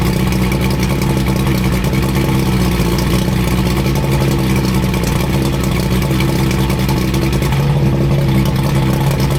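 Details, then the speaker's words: 85 hp Evinrude outboard on a water hose after new head gaskets, new spark plugs and tightened hose clamps, after earlier overheating: smooth, steady running with an even beat and no misses or rough patches; normal running. "We got a set of spark plugs in there. We got the engine purring like a kitten."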